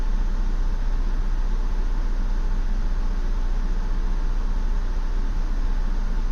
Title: 2016 Ford Explorer Rough Idle